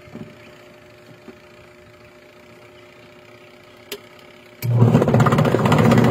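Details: Orofan washing machine after gearbox replacement, fan belt refitted between motor and gearbox: brief quiet, then strong steady churning hum, no grinding or slipping; normal agitation after repair.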